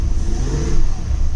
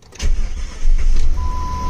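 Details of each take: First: 2000 Jeep Grand Cherokee 4.7L V8 after new injectors and spark plugs, with a vacuum leak still open at the intake: deep, uneven rumble that stumbles as revs climb. It trembles badly, white smoke was seen, and the problem is not fixed. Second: 2000 Jeep Grand Cherokee 4.7L V8, first start after replacing fuel injectors and spark plugs for stuttering and no power above 2000 rpm: quick cranking, catches at once and settles into a steady, even idle, slight tremble noted; normal start.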